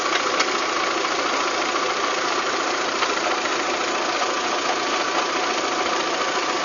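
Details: VW Golf 3 engine at idle with a busy, irregular light knocking over a thin, hissy background; abnormal internal engine knock, cause not yet pinned down.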